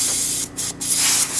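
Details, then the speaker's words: GE Monitor Top Type CA refrigerator float chamber turned upside down with air hose applied before repair, float fully open; steady airy hiss with brief dropouts as handled; air flows freely through the open float valve, as expected. "See, now it flows more freely because the float's open, but the other way, it should have not flowed any."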